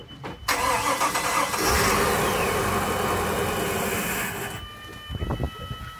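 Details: Volvo Penta boat engine, outdrive lowered into the lake, first start after a refurbished fuel pump was installed and primed: quick catch, then steady even run with no pump whine; healthy.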